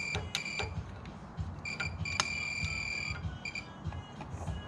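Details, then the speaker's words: Toro 74237 Z528 zero-turn (Kawasaki FH770D 28 hp), battery not charging: multimeter continuity beep cuts in and out as fuses are wiggled, loose high-resistance fuse block connection; melted fuse found, later ignition switch terminal and harness also faulty. "that the noise that's the meter telling me of this continuity when I'm wiggling these these fuses here so we may have a loose electrical connection somewhere"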